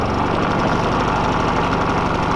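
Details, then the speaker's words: Harbor Freight Quiet Run 3500 W generator, first start via electric starter button with battery connected: steady, even engine drone with no misses, knocks or surging; running normally, about 124 volts output. "Like that, she's running."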